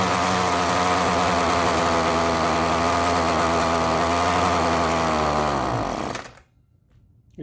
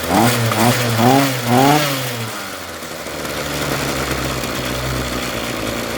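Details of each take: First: Ryobi RY251PH two-stroke trimmer, cold engine, before the carburetor replacement: a high buzz holds steady, then revs sag and it dies completely once off throttle. It has no low-speed adjustment. Stalling at idle, likely from a faulty carburetor. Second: Ryobi RY251PH two-stroke trimmer after fitting a new carburetor kit and two fuel hoses: several crisp throttle blips, then a steady idle that no longer dies. Normal running.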